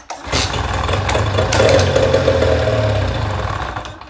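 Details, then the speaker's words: Mercury 9.9 hp outboard that ran last season but won't start, in neutral during spark check after tightening loose spark plugs: fires and runs raggedly about three seconds then dies; loose plugs suspected, not confirmed. "It even fired up. Well, that might be because the spark plugs weren't tight. That might be the problem."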